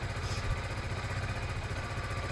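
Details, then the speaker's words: Zontes Mantis 125cc small single after a one-day rebuild, warming up before a test run: quick steady putter at idle, even beat, no skips or knocks, runs lovely; normal idle. "You can hear the engine, it runs lovely."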